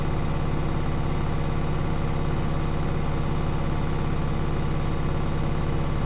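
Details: Beko washing machine bought 9 months ago, quiet for the first 6 months; fast even ticking about three or four a second locked to drum spin over a low hum, something catching each revolution despite levelled legs and added vibration dampers.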